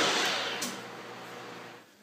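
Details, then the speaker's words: Precision Matthew milling machine spindle at top speed, about 1970 rpm after 90 and 670 rpm steps: high, smooth whirring hiss, no knocking or grinding, easing off at the end; normal spindle running. "all right so that's 90 RPM 670 rpm and this should be 1970 rpm definitely sounds like"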